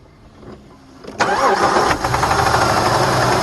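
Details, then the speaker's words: Jeep Liberty 3.7L/4.7L engine on thin 0W-20 synthetic oil that keeps throwing rocker arms off: cranks and catches, then a fast, even ticking clatter over the idle; valvetrain clatter from a dislodged rocker arm. "But it keeps jumping the rockers off. It'll be pulling up any time. Here it comes. Sounded pretty bad."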